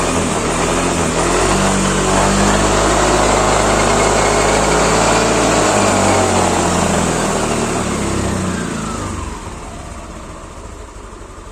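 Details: 2016 Yamaha NMAX after rear CVT repair and reassembly, engine started: revs smoothly and settles with no knocking or clunking; the clunk had been felt below 20 km/h and traced to the rear pulley.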